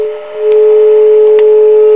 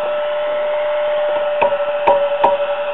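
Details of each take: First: Circa-1949 Precision E-200-C RF signal generator after restoring the original carbon-composition resistor: clean steady tone around 400 Hz with a fainter overtone; the internal audio modulation, previously nearly dead, now comes through properly. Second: Circa-1949 Precision E-200-C RF signal generator, audio modulation oscillator section under repair: steady ~600 Hz hum breaks into crackles and pops when the old tube is tapped; microphonic vacuum tube.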